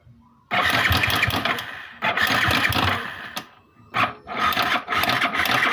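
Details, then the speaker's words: Vixion motorcycle that suddenly died while riding and won't start: repeated rough cranking bursts with a harsh, rattly clatter as it tries to fire and falls away. Teardown found a loose cam chain. "Ini nah ini rantai ketengnya longgar"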